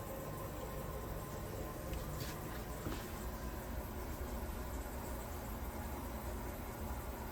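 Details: Kohler toilet after replacing a squealing fill valve, tested with kitchen faucet running and lid on: even, steady refill hiss with no squeal or whistle; the valve is fixed.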